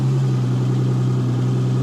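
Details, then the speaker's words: 1964 Ferrari 250 GT Lusso V12, right-hand drive, freshly restored after about 25 years in storage, on its first road drive pulling away; smooth, even low drone with no knocks or misses. Good oil pressure, water temperature coming up; normal running. "But we're pulling away nicely. It's sounding good so far. Good oil pressure."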